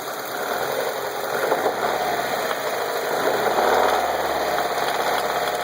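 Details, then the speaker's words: Mazda Miata engine with a loose, irregular knock/rattle under steady hum, barely audible at idle, more prominent while driving; car on stands; cause unknown to owner. "okay so my miata is making a noise um actually a pretty horrible knock slash rattle i really can't hear it when it's at idle but uh here listen to this"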